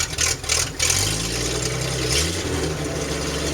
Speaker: The overall look right now, I'm not sure why it's so choppy. There's no cam, so I don't. Maybe the something is sticking or something. I think it's a fuel injector is sticking. But once I hit the gas, it clears up.